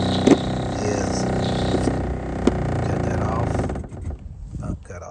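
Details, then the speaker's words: Pump on a pressure-washing truck skid recirculating through the soft wash hose back to the tank: a steady droning hum that dies away cleanly as the pump cuts off at pressure, as it should; earlier, air bubbles kept it from cutting off. "pump cut off. That's how it's supposed to do. Earlier I had tons of bubbles and the pump wouldn't cut off."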